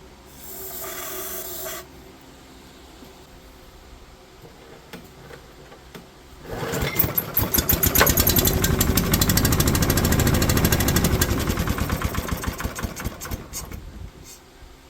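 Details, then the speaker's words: Brushless 10 hp junkyard generator running normally, valve cover still off: after a quiet spell the engine fires and runs at a fast, strong, even chatter of about three beats a second. "That's impressive. I mean, that is just genuinely impressive."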